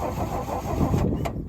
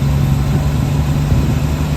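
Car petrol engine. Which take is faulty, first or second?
first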